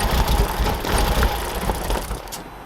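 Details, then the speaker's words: Audi S3 8L Mk1 with the AMK 210 engine, first start after sitting about 2.5 years once the battery was properly fitted. It runs a lumpy, uneven idle that sags toward the end; old fuel is suspected. A ticking and some smoke are noted afterwards. "So we just put the battery properly in the car now, so hopefully it'll turn over. Oh, yeah, that's it. Yeah. Hey! Runs, she runs."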